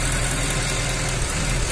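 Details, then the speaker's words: 2007 Mercedes ML63 AMG V8 after engine reassembly and camshaft timing, just back from a road test: lumpy idle with an uneven low beat and occasional stumble; an intermittent misfire that sets no misfire codes, cylinder not yet identified. "so it's all back together running just came back from a road test and if you listen to this thing it's got an intermittent misfire it doesn't set any misfired codes"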